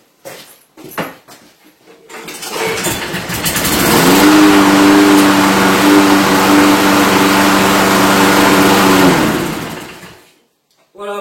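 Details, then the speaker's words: Briggs & Stratton Quantum mower that started then stalled due to a clogged carburetor jet, after carburetor cleaning and air filter refit: catches after a few pulls and holds a steady, even drone; repaired. "bon maintenant on teste est-ce que ça tourne c'est reparti"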